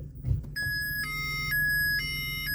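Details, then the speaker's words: 2002 Vauxhall Corsa 1.0i 12v, 48,900 miles, engine idling. After selecting reverse, a repeating two-tone beep sounds from the dash chime speaker, but no rear parking sensors are fitted; old system likely removed, maybe faulty or damaged. "yeah i get that beeping so there's a the chime up here which tells you a little time speaker there where it says listen you're going to reverse but there's no reverse sensors"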